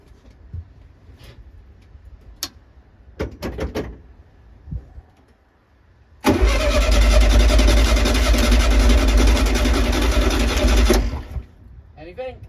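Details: 1972 VW Beetle not started for over three years, with heavy crankshaft end float and untouched points: the starter churns the engine evenly for about five seconds but it never catches. It cranks without starting; electronic ignition and fuel lines needing redoing are found afterwards.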